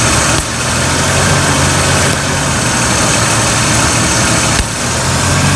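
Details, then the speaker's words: Jeep XJ idling with the intake vacuum hose off the throttle body (the one nearest the firewall) that feeds the front heater vents; constant airy hiss over the engine note from the open vacuum line. "you'll be able to tell a difference when i put this hose on you'll be able to hear the engine the vacuum is right here hear the"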